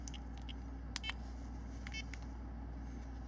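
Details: Garmin eTrex 20 after repairing deteriorated buttons with small pencil erasers: a few crisp, short button clicks over a low steady room hum; the buttons respond normally.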